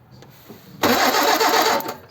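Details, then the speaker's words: Ford 100E, won't restart after stalling; spark present; about a second of brisk, even cranking that never fires: crank, no start from fuel pump failure. "okay well it stopped running it won't run there so I don't know what's the matter"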